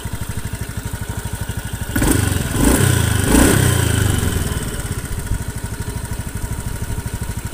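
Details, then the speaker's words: Honda Beat FI scooter (K44/K81), rough engine when warm and weak on hills, revving at idle: uneven rough idle with rattly clatter swelling on throttle blips, no exhaust smoke; mechanic attributes it to a scuffed piston skirt, not valves or CVT. "ini suara ini bukan ditimbulkan dari bagian bak civity atau dari Dian civity atau setelan klep ini lebih ke bagian piston biasanya bagian punggung pistonnya itu luka"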